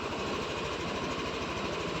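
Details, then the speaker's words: Yamaha NMAX V3 155 scooter, 9,500 km, after burnt error-12 fault repaired with long wire, new battery, check engine cleared: even, rapid idle pulses with no knocks or rattles; healthy smooth idle. "So umandar na mga kaibigan. Pro problem solve na ng may-ari."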